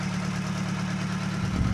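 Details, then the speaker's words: Colt Diesel 100 PS truck, long unused, revived and running a while, thin smoke: deep steady diesel idle, even low thrum, no knocks or misses; normal diesel idle. "suaranya pun enak Lur ini 100ps temen-temen ya tapi suaranya sudah unggul"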